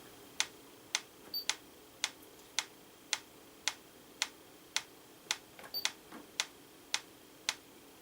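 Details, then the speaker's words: 1940s–50s Franz FB-4 electric mechanical metronome, line-frequency referenced, after scope calibration at 112 bpm: crisp evenly spaced ticks about 538–542 ms apart versus 535 ms target; runs true. "542 milliseconds which should be okay well I think that's about as close as I'm gonna get"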